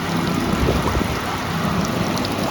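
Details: Brivis Contour L63 evaporative cooler (fan had run with no airflow) after replacing the faulty damper motor: even rushing air and trickling water over a steady fan hum, no knocks or rattles. Normal running; repair successful.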